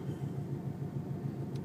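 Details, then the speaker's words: 1996 Camaro Z28 at idle: low rumble with uneven, lumpy pulse and occasional stumbles; code reader shows intermittent idle misfire, unchanged after moving plug wires; owner suspects injectors, cause unconfirmed. "i finally decided to take out my data checker then i found out i can check the fuel and it's misfiring every now and then while i'm at idle"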